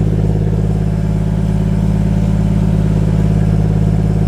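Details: 1JZ VVT-i engine swapped into an MK3 Supra, first start in weeks after fitting a new MK4 fuel pump, no coolant in yet, short run to check for fuel leaks: strong even idle with no stumbling or misfire.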